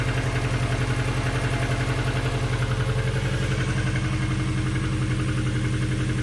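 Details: Petrol engine idling with a steady, hollow low knock repeating about four times a second; suspected piston slap, not confirmed.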